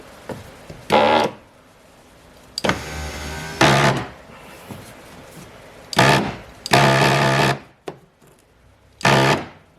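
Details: 2005 Mazda 3 driver's-side power window motor that struggles to raise the window: short bursts of harsh, rough buzzing whir, far too loud; internal motor fault, so the motor needs replacing.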